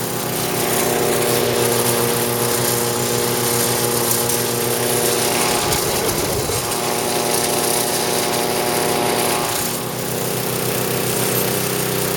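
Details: Snowblower small four-stroke engine on 85-octane gas, after auger repair with new drive belt: steady even note, no slipping or flapping; drive runs smooth, improved over the old chattering belt.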